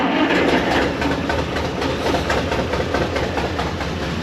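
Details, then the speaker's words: 1930 International fire truck, old engine after cleaning plugs and points: uneven lumpy chugging with irregularly dropped beats; still missing, owner suspects fuel pump needs its fuel bowl; cause not confirmed. "it still sounds like it's missing I clean the plugs I clean the points but still kind of sounds like it's missing"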